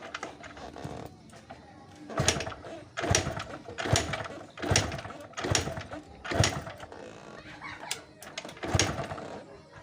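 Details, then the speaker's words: Yamaha RX King two-stroke motorcycle, repeated kick-starts about one a second with brief sputters that never catch; hard starting, will not start, caused by a cracked, leaking left-side seal (sil), to be replaced with a new one. "jadi temen-temen karena Silas crack yang sebelah kiri inilah bocor jadi motor kita susah hidup ya temen-temen"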